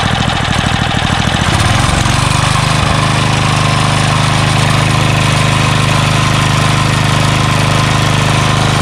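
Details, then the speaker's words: Craftsman 3 HP Tecumseh lawn edger after water-contaminated oil change, new carburetor, fuel line and air filter: catches after a couple of pulls and runs a steady, even hum with no stumbling. "got a new air filter on here and this thing runs like a champ now you know pretty cool pretty cool i'm pretty satisfied"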